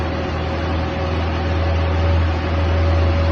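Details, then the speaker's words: Mini Cooper 997cc, fitted with small pod filters, needs a good deal of choke: smooth even low hum with steady beat, no knocks or misses; normal idle. "But the engine's actually really sweet, runs nice, needs a good deal of choke, so there's some setup to sort it."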